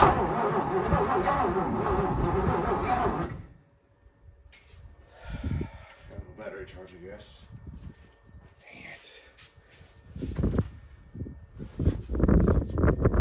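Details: 1957 Lincoln Premiere: about three seconds of slow, labored cranking, then it stops dead without catching. Crank, no start; owner suspects weak battery, weak starter and a stuck, probably bent valve.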